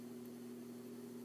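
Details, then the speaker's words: Hampton Bay Littleton 42" ceiling fan, light kit and globe fitted, running on medium: steady low constant-pitch buzz from one loose light-kit screw vibrating; touching the screw reduced the noise, louder on high. "it's mainly one of these screws yeah it's this particular screw right here because i touched it the noise kind of went away a little bit this is medium yeah the light kit it has some vibration problems and if the room's completely silent you will hear them"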